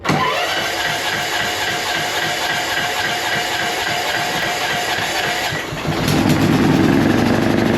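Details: Huskee riding lawn mower that had sat for weeks, after new gas and a new ignition switch: several seconds of steady rhythmic cranking, then the small engine catches cleanly and settles into an even idle; starts and runs fine.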